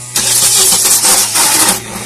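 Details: After a new wiring loom was installed: the starter spins the engine with a steady, even cranking rhythm for about two seconds, but it never catches. Cranks but no start.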